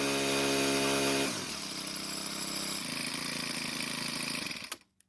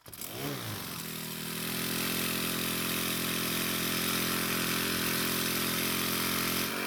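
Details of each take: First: Four-stroke string trimmer, model 41EDT57C966, after repair of a hard cold start: a new part with stiffer plastic lets the flap seal better, plus a slight idle speed adjustment. It revs high, drops to a steady even idle without stumbling, then shuts off cleanly. Normal run. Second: 4-cycle string trimmer (model 41EDT57C966), hard to start cold but starts and runs when hot; after priming with fuel it catches and holds a steady buzzing idle, then blips up and down. Weak air filter base flexing.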